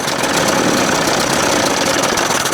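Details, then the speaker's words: 1981 Evinrude 20 HP outboard: harsh ragged idle that never settles; carburetor throttle butterflies closed too far and need opening slightly; rough idle. "That's why I said, you got to open these butterflies up a little bit."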